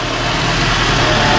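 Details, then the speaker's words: 2007 Nissan X-Trail, first start after a head gasket replacement with a reconditioned head refitted. Smooth, quiet, even idle with a steady low hum and no knocks or ticks: engine running healthy. "oh this is the car for first stop very good man nice and quiet"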